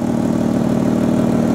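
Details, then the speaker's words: 1995 Lexus ES300 sedan at steady idle has a loud, raspy, puffing exhaust note; the owner was told on a lift that the exhaust flex pipe is leaking. "yes it does have a loud exhaust it's uh I was told I'm not a mechanic but when they put it on the lift it's the flex pipe that goes between I don't know somewhere in the front to somewhere in"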